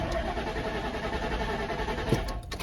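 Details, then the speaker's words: 1998 Ford Expedition gas engine, sat about a year, new battery, gauge reading full: catches and runs roughly a few seconds on starter fluid, then fades; out of gas, fuel pump not yet ruled out. "uhoh she just out of gas"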